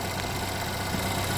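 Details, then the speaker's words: GMC Terrain with code P0011, idling; steady low rumble with an even beat and no knock or rattle over shop background. It runs smooth, no vibration. "got it run and smooth out it's not bad might just be a rough running engine camera's not vibrating so I think we're fine"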